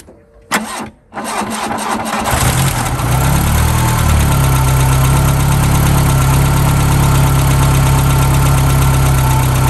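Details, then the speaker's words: 1991 VW Mk1 Cabriolet Etienne Aigner edition that hadn't run in about 10 years, first start before oil change: catches after brief cranking, steady idle with light fast ticking; suspected lifter noise, alternator belt also seems loose. "uh it seems to be running okay it's got obviously some lift lifting off you can hear that"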